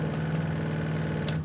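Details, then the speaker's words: 1956 Jeep CJ5 EV conversion, junkyard Prius inverter with Openinverter board, 120 A DC applied; steady buzzing hum, motor twitches but won't spin, then cuts out; resolver offset misaligned, being tuned in smaller intervals. "so I've got the to the point where even if I pump 120 amps of decurrent in there it Twitches but doesn't"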